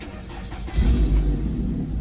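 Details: 2020 Nissan Rogue after an accident and a crank-no-start, starting after rewiring: starter whirr, then a low, slightly uneven stumbling idle; it misfires after sitting a long time, and plugs and coils are still to be checked.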